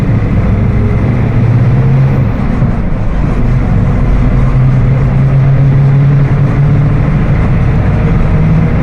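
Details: Mercedes-Benz OF 1721 BlueTec 5 diesel bus (Apache Vip IV) under way: steady low droning tone above the diesel, holding with road speed, rear axle differential whining.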